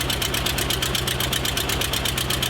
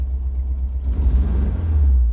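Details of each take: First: Porsche 914 2.0, just jump-started, before exhaust replacement: fast even pulsing idle with a harsh raspy blat, much louder than it should be; worn-out exhaust, new muffler to be fitted. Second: Porsche 914 2.0 just after a new muffler was fitted, idling better but still due a tune-up. The deep, even exhaust rumble swells cleanly on throttle blips and settles back: healthy, crisp throttle response with no misfire.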